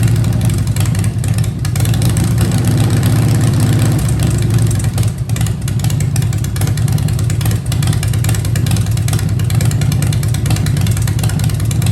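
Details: 2015 Harley-Davidson Breakout with Fuel Moto 110 kit (10.5:1, Level B heads, Woods 777 cams, 55mm throttle body): steady loping idle, clean pickup on blips, drops back without hunting; healthy.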